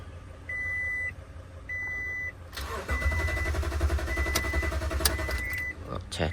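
Door chimes, then the starter churns on longer than it should before the engine catches and runs; points to a fuel delivery problem. Cause suspected, not confirmed.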